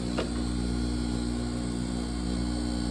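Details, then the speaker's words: Manitowoc ice machine during harvest, hot gas entering the plate: steady low hum with a fast even pulse about four per second, the air pump pushing a thin layer of air behind the ice; normal harvest. "So the harvest is now inverting the pressures. It's putting hot gas into the plate. You hear that? That's an air pump, pumping a small layer of air in between the"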